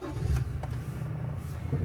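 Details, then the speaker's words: Custom Seeker Ford Ranger bought at auction, serviced at 50,000 miles in 2023: engine fires up and settles into a steady, even low rumble with no knocks or rattles, alongside familiar chimes; a decent, healthy start. "sounds pretty decent very familiar for Chimes"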